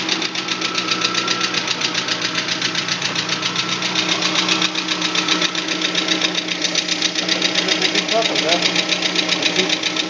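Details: VAZ 21124 engine: sharp, even ticking about four times a second over a steady idle without stumbling or misfiring; engine knocking at idle, top-end knock of unknown cause.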